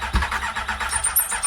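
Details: Triumph Daytona 600 that sat for years with water in the engine, solenoid jumped to crank: quick, even cranking beats about eight a second with no cough or pickup. It spins over fine but has no fuel; the tank is locked without a key.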